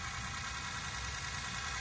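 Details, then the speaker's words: Ford Powerstroke diesel freshly rebuilt (10 over, balanced rotating assembly), about 500 miles after the rebuild, on a cold start: prolonged injector chatter that then settles into an even idle with a light steady tick and no knocking; normal cold idle. "kind of ceiling tub by the injector chatter it's pretty long it sounds good though doesn't it"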